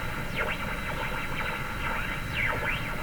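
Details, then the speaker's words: Philco #53 shortwave tube radio tuned across the band: hiss with swooshy whistles rising and falling at each carrier but no audio. Owner believes it picks up distant carriers too weakly, probably from bad parts underneath. "so I believe the radio is pick up carriers from distant stations but not nearly enough to produce audio for us to hear but each time a carrier go goes each time I tune across a carrier you hear that swooshy sound"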